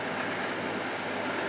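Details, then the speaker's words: Land Rover R380 gearbox on bench rig, driven by angled prop shaft, run to circulate oil: smooth even hum with faint steady high whine, no knocks or grinding; much quieter than before, running healthy. "there we go see it's a lot quieter it's not bad at all"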